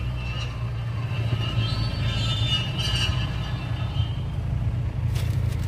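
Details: Mahindra Bolero front wheel: thin metallic scraping squeal over low rumble, from a stone (gitti) stuck between the front brake disc rotor and its dust cover.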